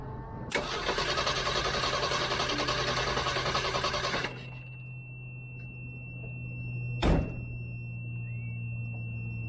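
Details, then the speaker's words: Car cranked by a DBPOWER G57 2500A jump starter with no battery connected: fast, even cranking for about four seconds, then it stops with no firing. The booster seems to cut out after 6-7 seconds; no start. "Let's see if it'll crank it without a battery connected and for how long. It seems like it turns off after, I don't know, 6-7 seconds."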